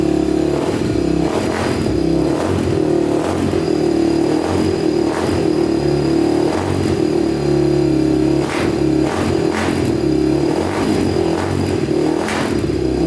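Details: Honda TRX250X quad single on a 120 main jet, blipped repeatedly: revs up and drops back sharply with a crisp, slightly hollow note; sounds lean, so a 135 main and possibly a bigger pilot jet are planned.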